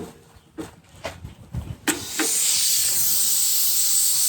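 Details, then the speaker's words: Air hose with a leaking brass fitting: a few handling knocks, then a steady, sharp hiss of air escaping under pressure; Teflon tape barely helped, and the fitting itself is suspected to be failing. "Yeah, it's just, you can hear that hissing coming right out."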